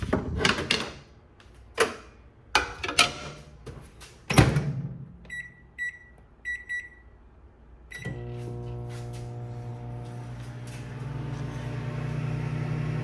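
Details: Foxtheon iGo3600 portable power station (3600Wh/2500W) powering a microwave: door clunks and button beeps, then an even, steady hum as the oven runs normally drawing about 1.3 kW.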